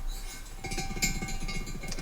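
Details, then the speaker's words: TVR Tuscan cylinder head being rebuilt: the exhaust valve stem rocked by hand in its guide gives loose metallic clinks and rattles, far beyond the 0.002 in spec; the exhaust guides and seats are worn and need replacing, while the inlet side is fine. "That should be 2,000 of an inch. That noise is not 2,000 of an inch. Obviously, the exhaust side takes more wear because of well, it's hot, isn't it?"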